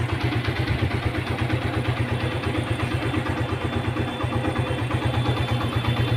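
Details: Suzuki Gixxer street sport, self-start noise problem resolved, started with the clutch held: steady, even low single-cylinder thump at idle, about three beats a second, with no knocks or rattles; runs clean.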